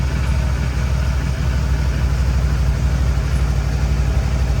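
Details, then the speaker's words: Suzuki DL650 V-Strom V-twin idling just after first start following winter storage, cold February: steady even low idle with smooth unbroken rhythm, no knocks or rattles; healthy. "все друзі все замінив все получилось мотоцикла завівся класно"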